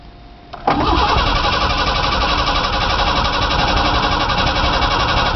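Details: Truck on a cold first start after sitting about two months, with a new battery fitted: the starter cranks steadily at about four per second, but the engine never fires. The fuel pump can be heard; the owner suspects it may be out of gas. Crank, no start.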